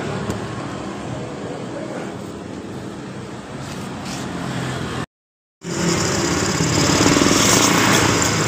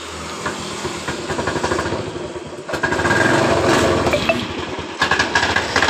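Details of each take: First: Honda Beat eSP CVT after the roller housing and rollers were replaced; the earlier rough clunking came from heavy loads and rare servicing. Now a smooth, even drive whirr rises cleanly with throttle and there is no rattle or knocking, so the CVT sounds healthy. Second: Honda Beat ESP scooter, heavily loaded and rarely serviced, idling: rough, uneven clatter from the CVT belt case; worn rollers and roller housing in the CVT pulley.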